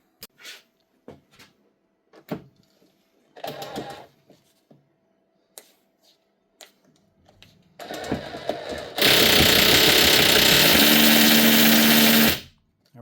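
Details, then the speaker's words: Hammer drill after opening and greasing the hammer mechanism, previously weak hammer at low speed; steady rapid hammering over motor whine at low and fast speed; normal hammer action. "You can hear it hitting at low speed and at fast speed. That's it. Simple as that."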